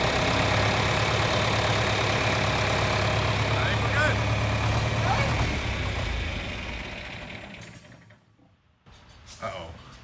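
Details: Old hay-baling equipment engine after a repaired leak, not primed: even rhythmic cranking for several seconds that fades out without catching. Hard starting, cause suspected, not confirmed.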